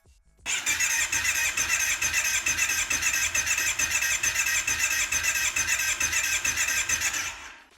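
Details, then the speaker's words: Kawasaki Brute Force 750 front cylinder cranking after oil was added to the cylinder: fast, even starter whir with only faint, soft compression beats; compression only rose by half. Valve clearances were found far too tight, and compression returned after adjustment. "Unfortunately, the situation hasn't changed much. The compression only went up by half. So we either have a problem with the valves, or it's due to the lack of honing in the cylinder, possibly due to the rings or the valves."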